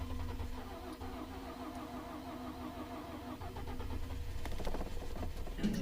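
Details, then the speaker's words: 2012 Ford F-150 EcoBoost at -23 degrees, battery charged to 100% on charger, hood up: steady laboured cranking with an even beat, never catches or fires; turns over but won't start, cause not confirmed. "Nothing. -23. That's enough of that. So the battery's not dead. It's -23. And she won't start."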